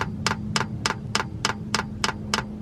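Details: Van diesel heater in subfreezing Alaska, priming after fuel line replaced because the old line had an orange algae tint: crisp even ticks about three per second over faint hum as fuel reaches the pump; air bubbles still present, priming continues.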